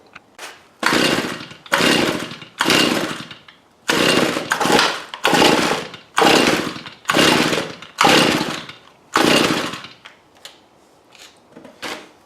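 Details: Tanaka string trimmer with fuel in the tank, on stand: about nine quick rasping cord pulls, each a brief spin-up dying away with no firing; no-start.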